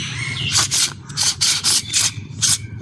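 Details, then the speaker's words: New front strut mount bearing for a Ford Ecosport, turned by hand during absorber replacement: short scratchy rubs, about eight in three seconds, that stop once pressure is applied; otherwise butter smooth, normal light rub for a new part. "has that rubbing sound, but once I apply pressure to it, no more sound. Okay, but it is butter smooth."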